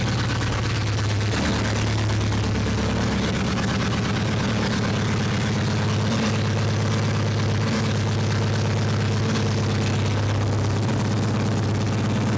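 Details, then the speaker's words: 2006 Mini Cooper S R53 after cylinder head replacement, longer run warming toward temperature: steady low idle, even firing, no knocks or ticks, good oil pressure, no leaks; engine sounds healthy. Smoke is likely spilled coolant burning off. "i mean looks good they can't feel like it's too loud you can't hear yeah yeah i'm sure it sounds okay like pressure oil pressure is good"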